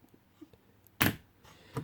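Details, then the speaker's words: DIY battery-powered nickel-strip spot welder with solenoid relay and mounted quick button: one sharp loud solenoid clack then a lighter click, very quick pulse, welding cleanly as it should. "and you see with my button press that it's very very quick and that's all you need all you need to do"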